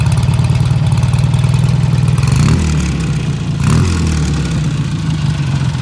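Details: 1951 BSA A10 Golden Flash 650 twin, revived after 4 years in a museum with a new battery and cleaned carb. Steady, even low thump at idle with one smooth throttle blip, no knocks or misses; runs healthy.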